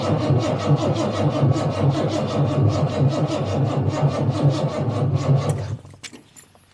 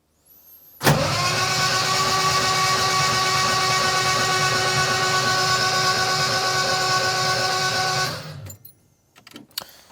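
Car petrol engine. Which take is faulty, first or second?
first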